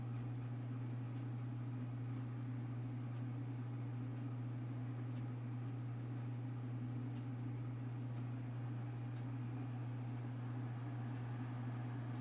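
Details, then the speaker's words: PlayStation 3 just returned from a reball repair, booting to and sitting in the main menu: quiet at first, then cooling fan steps up through several notches to a loud steady hum and airy rush, louder over time. "already seems pretty quiet when it first boots up and then you'll see it starts kicking in"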